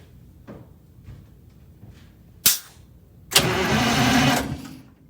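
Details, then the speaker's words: Eagle bus diesel after converting hydraulic fan to belt drive: one sharp bang, then cranks and catches quickly, roaring evenly; clean start, though a turbo leak is noted. "There we go. That was promising."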